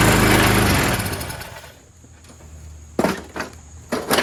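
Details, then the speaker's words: Troy-Bilt 22-inch mower, 4HP Briggs Quantum, run on choke: pulls hard then eases, with sharp bursts as it bites grass; normal running under mowing load. "Actually, most pretty good. Just keep it on choke. Then you have one steady speed."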